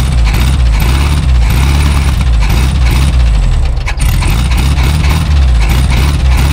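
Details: 1974 Volkswagen Super Beetle, sat in a field for about 20 years, first start after carburetor cleaning: catches and settles to a steady, slightly lumpy low idle with an even chuff; normal idle, owner notes slight ticking and needs oil change.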